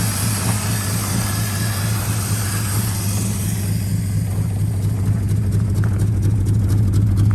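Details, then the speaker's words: 1951 Studebaker at idle with the generator disconnected: a low, uneven, lumpy beat with roughly two stumbles a second. The engine is misfiring because of burnt valves. "Sounds like hot garbage. So I just gotta be camming it because it's got burnt valves and it's missing."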